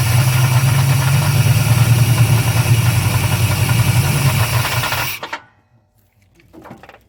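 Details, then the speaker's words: 1993–94 Chevrolet Silverado Z71 with a 350 crate V8 and swapped 4L80E transmission, run without the torque converter: rough uneven knocking rumble about 3.5 per second at loose idle, timing kicking back; noise from flexplate, cracked flexplate. "and that flywheel sounds rough timing to kick back on me a little bit"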